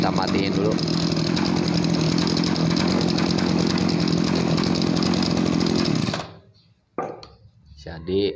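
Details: Farm sprayer two-stroke engine, previously weak and bogging on throttle, starting on one pull: holds a high even rev for six seconds without stumbling, then cuts off; takes throttle cleanly.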